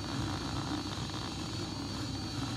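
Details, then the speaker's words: LG dishwasher that wasn't draining, forced into drain mode by holding Normal and Delicate: steady, even low hum with no rattle, scrape or surging; the drain pump motor spins smoothly, normal operation. "that's gonna force the pump to drain like i said in the beginning of the video you know go down here and i can feel that motor spinning"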